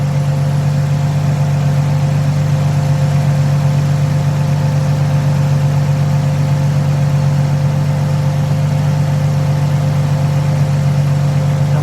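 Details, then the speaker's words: 2003 Nissan 350Z with a swapped JDM VQ35DE V6, idling after the rebuild and a coolant refill and bleed. Smooth, even low hum with a steady beat and no ticks, misses or surges; it runs very well. "all right guys well as you can hear the car is idling really well it's running uh fantastic"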